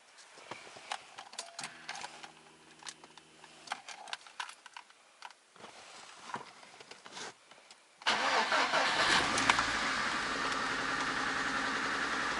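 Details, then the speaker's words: VAZ 124 16-valve engine (2110-12/Priora) after a head rebuild: starts and runs with an uneven, lumpy idle, misfiring on a cylinder even after a coil swap. Owner suspects a bad spark plug; it also knocks; oil pressure about 1.8–1.9 at 90°C. "Ну, в общем, катушку заменила, все равно троит. Я не пойму, что делаю. Может все-таки свеча негодная."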